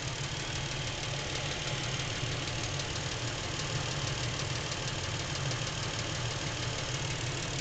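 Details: Lincoln MKX with 7,000 miles, knocking since new and worsening; steady idle with light even ticking knock keeping time with engine, from back of the motor, not cam phaser/chain area; dealer could not hear it, source unknown.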